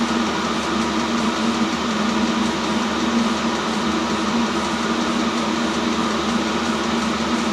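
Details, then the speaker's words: New self-contained Chinese diesel heater on first run while bleeding, air output reaching 70 °C; steady whooshing fan roar and even hum, no surging or rattles; normal full-output operation. "Starting to put heat out now. Starting to blow warm air out."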